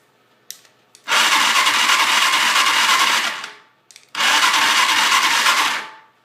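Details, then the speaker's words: Chinese 250cc ATV with clutch and reverse, choked, kill switch unhooked, spark plug tested fine. Two cranking bursts of about two seconds each; spins steadily but never fires. Owner suspects no spark. "sounds like it just it's not getting a spark or something"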